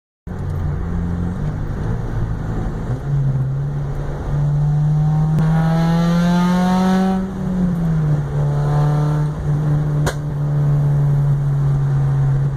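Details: Acura RSX Type S engine: steady low drone rising and falling with revs, carrying a faint rough undertone; unidentified noise, cause not clear.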